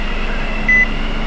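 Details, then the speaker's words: Wrecked 2016 Nissan Juke auction car, key on and engine off: steady, even cooling-fan whoosh keeps running, broken by a short chime; the fan runs continuously with the key on, and altered wiring is suspected, not yet confirmed. "all right so we're key on engine off like I said the cooling fan seems to run continuously with the key on probably somebody's been doing some wir that would be my guess"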